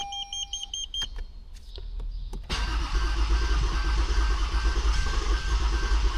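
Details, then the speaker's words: Toyota Avalon with hard starting: warning chime, then long steady cranking that never catches. Water in the injectors, fuel line and plugs, fuel pump fuse had been removed, and water is suspected to have been put in deliberately. "Pero ano lang ito malamang long cranking ito tapos palyado kasi may mga tubig pa doun sa sa common rail or sa linya ng sa tubo ngor spark plug. So pero aandar to kaso ngang long cranking siya."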